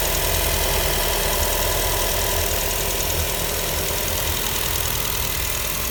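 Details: Nissan Almera idling: a steady rough rattle, about three to four knocks a second, from a spoiled radiator/AC condenser fan motor making noise.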